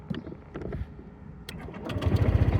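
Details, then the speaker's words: Honda ADV 150 scooter on its stand, new NOCO NLP5 lithium battery just installed replacing a weak original: brief click and starter whir, catches at once into an even, rapid putter; healthy start. "All right, now that it's on its stand, let's start it. It's got power."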